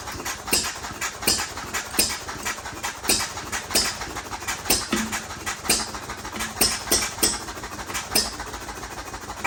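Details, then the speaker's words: First start of a Novo 3.5 or 4 hp hit-and-miss engine, 20-inch flywheel, revived after being seized by water in the crankcase via cleanup and light hone, buzz-coil ignition; sharp pops about once a second with coasting gaps: normal hit-and-miss running. "So yeah, that's the first start of the Novo 3.5 or 4 horse. That's a success."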